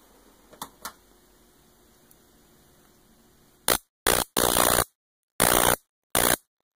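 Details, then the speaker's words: Homemade Leyden-jar capacitor now charged DC through a high-voltage rectifier diode, positive leg to one ball: five sharp crackling bursts in under three seconds over a faint hum, less noisy than before; normal capacitor discharge spark. "so i'm going to turn the power on in three two one you'll notice it's not as noisy let's do a spark see what it looks like"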